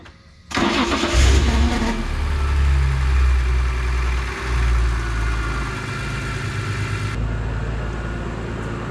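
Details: BMW E46 M3 starting after an oil change with 5.75 L of 10W-60 and a new filter. The starter whirs briefly, then the engine catches and settles into a steady, even idle with a deep exhaust note; a normal start-up.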